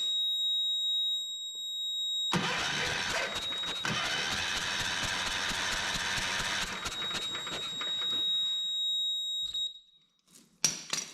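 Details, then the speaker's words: 1979 Kohler K301 12 hp, coil powered by a jumper wire and cranked with a jump pack that squeals: steady churning crank with no firing; no spark, ignition points found severely corroded. "I'm not seeing any spark so I'm going to take this cover off here and see if the points are dirty or rusted or anything"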